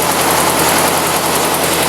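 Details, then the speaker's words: 1956 Ford NAA tractor, 134ci four-cylinder, just after Pertronix 1244A electronic ignition conversion replacing points: loud, steady idle with an even beat, no stumbling, misses or bogging; timing good, idling smoothly and healthy. "No bogging. Nice smooth idle."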